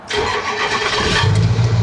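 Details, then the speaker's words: Ford 6.0L Powerstroke diesel started after maintenance with new fuel filters, oil filter and transmission fluid: starter whirs briefly, engine catches and settles into a steady, even low idle while fuel works through the system; clean healthy start. "Fire it right up. Let it run for a little bit, let the fuel kind of get through the system."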